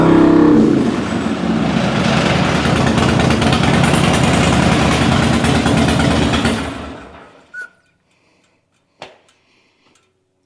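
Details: 2006 Harley Dyna Wide Glide V-twin after fixing a grounding-out fuel pump: steady, even loping beat and clean throttle pickup with no coughing or popping, then a clean shutdown.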